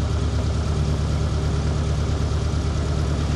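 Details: ZAZ (Tavria/Slavuta) engine after knock sensor cleaning and error clearing, no check-engine light: steady, even low idle with a smooth regular beat, no knocks or misses; normal.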